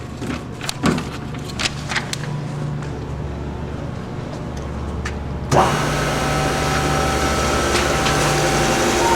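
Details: 1984 Myford MG12-M manual plain cylindrical grinder, 12-inch wheel: clicks and handling, then motor starts and settles into steady even hum, no knocks or grinding; runs normally.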